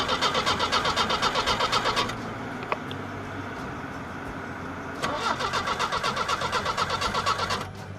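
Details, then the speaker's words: 1977 MGB, starter cleaned and given a new solenoid; two bursts of brisk, even cranking at about four turns a second with no firing; carburetor faulty, had run on ether; normal starter cranking. "i found a guy in town who took a closer look at it and found out that it just needed a new solenoid this set me back about 60 dollars so the starter is is working let me show you guys what it does"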